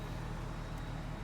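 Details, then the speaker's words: 2006 Chrysler 300, vandalized theft-recovery car, after the muffler was repaired at a shop: startup and idle now super quiet, a low soft rumble with no drone or rasp from the tailpipe, exhaust properly muffled. "Super quiet now, and I'm thrilled. I am thrilled that it's that quiet."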